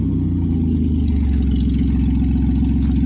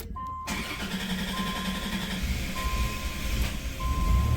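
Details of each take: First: 1990 Dodge Grand Caravan LE running with the exhaust bolts sawn off and the exhaust disconnected: a loud, raw blatting note with heavy low pulses that quicken as it revs. The owner believes the catalytic converter is shot. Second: 1990 Dodge Grand Caravan LE, which stalled on the highway (cam sensor plug suspected), starts after a new fuel filter is fitted and primed. Door chime beeps over a crank that settles into a low, quiet run with no leaks. Normal start.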